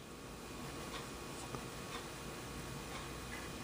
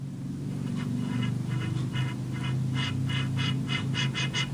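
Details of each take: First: Philco 37-2670 radio tuning dial after the new dial was adjusted and felt pieces fitted to stop it scraping metal. Only faint soft ticks over a steady hiss as it travels end to end. Quiet dial movement. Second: Philco 37-2670 radio restoration after a new dial scale was installed. A repeating dry scrape comes with each pass of the dial over a low hum, getting quicker toward the end. The dial is rubbing metal at its rear contact point, to be fixed by gluing felt there.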